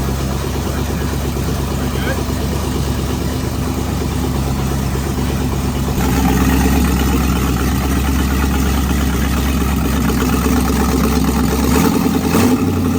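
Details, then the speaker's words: 1937 Oldsmobile build, first start after wiring and fluids, alternator newly set up: steady low idle with a few throttle blips that settle back smoothly, no knocks or misses; motor running and transmission working. "Motor's running, check. Transmission's working, check."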